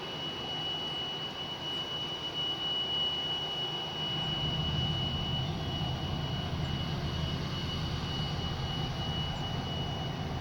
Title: strange whistling sound